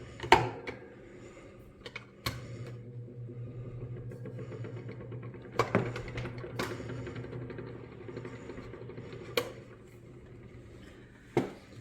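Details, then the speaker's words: Table fan that would not start and screeched when stopping, after lubricating the motor bearing. The motor now hums smoothly and steadily with no screech; a few knocks come from handling. Normal fan running. "so this is started working and also before I put the lubrication when the fan came to Halt it was making a screeching sound like some kind of screeching sound uh so which also is a sign of lack of lubrication but now that I put the lubrication the experience is installed it also gone"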